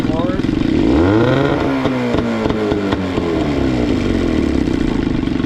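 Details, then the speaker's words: Johnson 15 outboard, bottom cylinder about 110–120 psi compression, spark on both cylinders: revs briefly, then sags into a slow, lumpy idle that keeps dropping and dies at the starting position; broken idle adjuster piece leaves idle set too low. "Yeah, if I go back to the starting position, it dies. Yeah, with this like broken piece for the idle. It's like idling too low."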